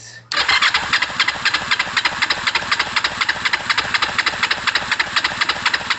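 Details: Kawasaki ER-5 twin, left cylinder compression test, cranking with throttle wide open. Steady cranking with strong, even pulses about four per second, reading 174 against 176 on the right: healthy compression, valves OK.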